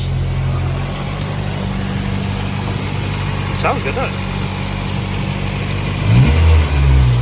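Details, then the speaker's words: 2001 Civic, 300,000 miles, with a K24A swapped in and converted from auto to manual, on its first start: an even idle that picks up cleanly on a throttle blip and settles smoothly, no knocks or misses. Issues noted are the O2 heater and an O-ring leak under the intake manifold. "Yes, responsive. Yeah. That is pretty damn good."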